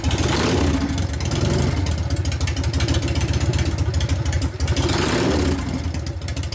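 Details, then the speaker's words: 1999 80ci Evo V-twin, rigid, after reassembly: revs up and settles with a tight, even beat, no clatter from the primary drive that clanked before; road test went through the gears fine. Normal primary drive running. "now that you know the difference now you hear it's all tight you hear the difference in it now it's not clattering around this"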